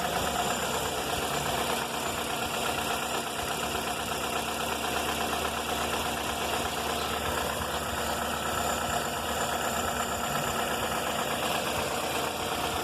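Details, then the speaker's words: 2004 Toyota Corolla at idle, noise began before an engine rebuild (pistons, timing chain, tensioner, valves, VVT replaced) and persists, on 15W-30 oil (15W-40 didn't help): light uneven tapping, a couple per second, rising with throttle; engine knock, cause unknown. "esse barulho começou antes de fazer o motor fiz um motor do carro barulho contínuo pode ver que ele aumenta e diminui quando acelera"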